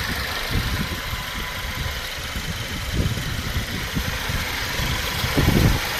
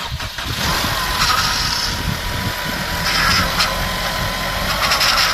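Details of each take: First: Mercedes-Benz C250 W204 after timing chain replacement, restarted after topping up empty power steering fluid; steady even idle, smooth low hum with no rattle or ticking, running normally and much better. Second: Mercedes-Benz C250 W204 first start after timing chain replacement: engine catches first go and idles with a steady high whine from the power steering pump, whose reservoir was empty; low fluid, to be topped up.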